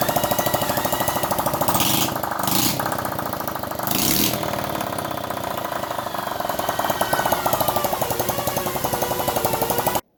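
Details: Restored Honda C102 50cc, after valve adjustment and cleaning the points: even, quick single-cylinder putter with a couple of small throttle blips, every beat firing cleanly with no misses; engine running healthy.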